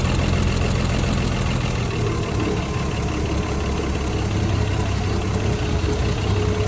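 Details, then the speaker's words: Vehicle pulled out and left to idle: petrol idle runs perfect at first, then an uneven "pa-poo" stumbling stutter breaks the rhythm now and then; cause not confirmed. "Yeah, there it goes. It said pa-poo, pa-poo, pa-poo, pa-poo. It was running and idling perfect that first little bit, doing a stupid stutter."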